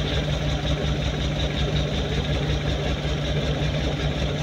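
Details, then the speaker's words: Suzuki Multicab three-cylinder carbureted engine idling lumpy after carb cleaning and new fuel pump and filter; pulling spark plug wire 3 causes no change, unlike 1 and 2, so cylinder 3 is dead, spark plug 3 at fault. "tingnan nyo mga boss, binunot natin ang spark plug number 3, wala pong reaction yung makina mga boss. Hindi katulad po sa number 1 at number 2 ay namatay po mga boss. So may problema po ng spark plug number 3 mga boss."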